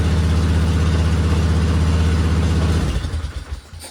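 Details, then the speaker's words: 2000 Polaris Sportsman 500 6x6 ATV, revived after sitting two years: steady, even single-cylinder thrum at fast idle with no misses or knocks, then winds down; definitely running better, normal. "But it's definitely running better, so."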